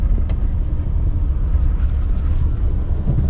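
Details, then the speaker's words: Maruti Alto 800 on CNG, second gear from standstill with A/C on and one occupant, after fixing an 11-month misfire; steady low rumble pulling away smoothly without the earlier jerking. "देख लिए ना आप घड़ी करके second gear में AC में उठा दी गाड़ी को। आराम से उठ रही है। अभी भी देख लो। पहले झटके मार रही थी।"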